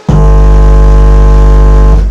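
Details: Modified class D amplifier with GDT-driven SMPS whose positive rail was dropping, now stable at 12 V, volume nearly full: loud steady tone for two seconds with no dropouts; amp delivering clean continuous output.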